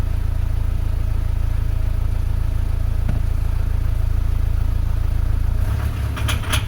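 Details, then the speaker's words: 2008 Mitsubishi Pajero diesel just after start, check-engine light already on: loud, lumpy, uneven clatter pulsing three to four times a second. Suspected diesel misfire, cause unclear; unrelated to the brake booster repair just finished. "the engine is doing something wild uh the check engine light was on and I did notice that it was on prior to me starting that's a different thing altogether but I do not like that that sounds like uh diesel misfire"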